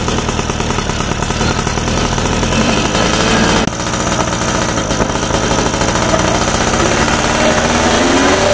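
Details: Yamaha F1ZR two-stroke after carburetor needle clip raised from position one to two to cure bad low-end stutter: crackly buzz rising and falling with the throttle, picking up cleanly with no stumbling; running normally.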